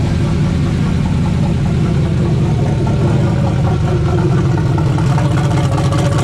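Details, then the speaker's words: Turbo LS V8 mega truck on E85, first start of the season after sitting over winter, older build: steady deep idle with an even beat, no knocking, misfires or hunting; idling normally. "ain't too bad guys kind of an older build been together for a few years but she still"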